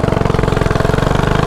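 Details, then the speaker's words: Stock mini bike with quarter-turn race throttle, carburetor screw adjusted as it was getting too much air and gas: small single-cylinder now revs with a quick, even beat, no longer bogging. "so look as y'all see the bike ain't bogging no more"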